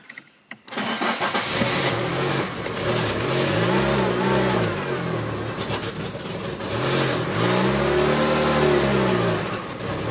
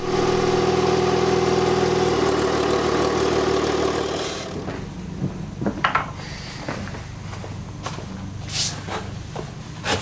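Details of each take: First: Citroën engine with a mismatched ECU and camshafts, on a cold November morning: engine starts and revs in slow, laboured surges that never climb cleanly; the harder it's accelerated the less it revs, no power. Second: Citroën swapped engine with mismatched ECU, camshafts and injectors, after closing the drive-by-wire throttle's idle opening slightly with it unplugged: steady, even idle with a clean unchanging note, no stumble or hunting; normal idle.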